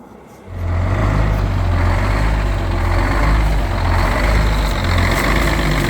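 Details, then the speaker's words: 1971 GMC 9500 with Detroit Diesel 6-71 two-stroke, recently revived after 26 years sitting: deep diesel idle swelling and sagging in a slow uneven lope, caused by the wrong idle return spring fitted. "so you hear it kind of loping like that. It's because we have the wrong idle return spring in it."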